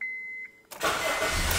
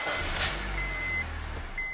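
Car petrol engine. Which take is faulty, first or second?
second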